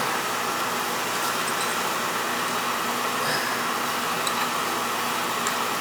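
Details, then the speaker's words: Older Beckett oil burner that was tripping safety and not firing, restarted after clearing an oil tank blockage and purging air, FF jumped out: constant even roar of flame and fan, no pulsing, sputter or cut-out; firing steadily. "let me start this up I'm going to jump the FF out so the thing don't trip out on safety you get a good flow there we go"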